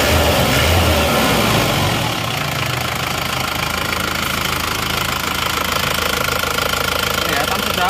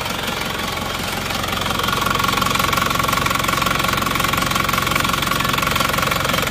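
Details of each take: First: Isuzu Panther diesel after rings and liner work, hot after a 5 km road test: even idle clatter with a steady beat and no stumble or extra knock; engine sound is normal. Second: Cold Isuzu Panther diesel idling after a morning start with temperature not yet up: hard, rough, regular clatter about 2.5 beats a second, with smoke already showing. Compression measured only 15 bar, caused by a burnt exhaust valve. Radiator had pond water instead of coolant; engine coming down for overhaul.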